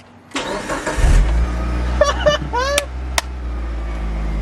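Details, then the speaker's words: Mitsubishi Lancer Evo 8 restarted after 8 years sitting, with fuel tank cleaned: brief crank, quick catch, then a steady, even idle with no misfire or knock. A clean, healthy start. "oh man oh this is great this is freaking great yeah oh i am so pumped"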